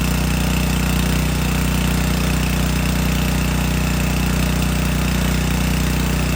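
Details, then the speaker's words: Subaru EA190V pressure washer engine after a no-start fix, pump under load: runs steady and even with no hunting or knocking, pump delivering strong flow; normal running. "before engine sounds good see if that pump didn't work that's what it would be doing so I'm very happy with that"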